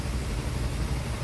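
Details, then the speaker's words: Motorcycle idle after diagnosis and repair, sound back to normal: even, steady, no knock, only extra mechanical clatter because the side cover, magneto and tensioner are still open with no rubber cap fitted. "Ayan o. Normal na ulit yung tunugan. Maingay na lang siyang pakinggan dahil naka-open yung panggilid nito."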